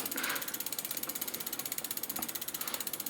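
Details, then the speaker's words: Bicycle front disc brake after wheel refit and caliper realignment, lever released: wheel spins freely with only even hub clicking, about four per second, and no scraping; pads clear the rotor, no rubbing. "it's released you can hear no rubbing sound which is great news you have probably aligned your rigs"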